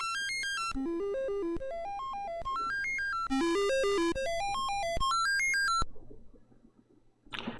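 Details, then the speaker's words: Commodore 64 breadbin on test harness running dead test sound test: clean stepped synth tones climbing and falling in quick arpeggios, undistorted and steady; sound chip output working normally. "okay that's dead test and as you can see the video is working well and you could hear the the audio is working well as well"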